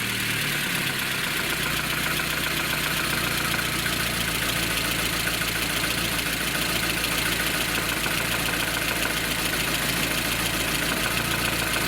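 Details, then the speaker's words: VAZ Lada Kalina petrol engine idling in neutral with a busy, tinny rattle from excessive camshaft end play, which quiets when the camshaft is pushed back. "Большое осевое смещение распредвала. Тарахтит."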